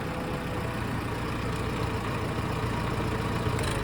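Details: Allis Chalmers 170 tractor after replacing a bad coil-to-points wire that caused an intermittent electrical fault; steady, even low chug with no misses, stumbles or knocks, a smooth healthy idle. Normal idle.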